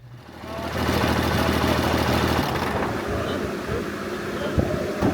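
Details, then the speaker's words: Diesel truck (Side Piece) idling after a dyno pull: rhythmic knock about three per second heard from back near the transmission, suspected converter or flex plate; diagnosed as loose torque converter bolts. "Yeah. Converter or flex plate, one of the two. I I could hear it back there."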